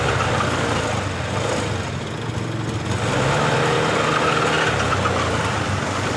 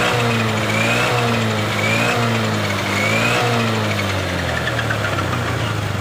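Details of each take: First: Honda Beat LED Deluxe scooter with stored DTC code 7, before repair: engine runs but with an uneven, burbling, stumbling note, sputtering especially on initial throttle, sometimes normal; cause not yet found, EOT sensor to be checked on scanner. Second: Honda Beat LED Deluxe scooter that had died with stored DTC code 7. After clearing the DTC it revs up and down cleanly with no sputter; a loose EOT sensor socket is suspected, and the socket is to be cleaned or tightened.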